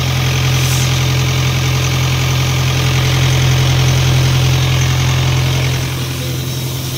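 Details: Isuzu 4LE2 air compressor engine that previously would not start, with smoke coming out of the intake at cylinder 4: after the head was reinstalled it now starts and settles into a deep, even, smooth diesel idle with no misses.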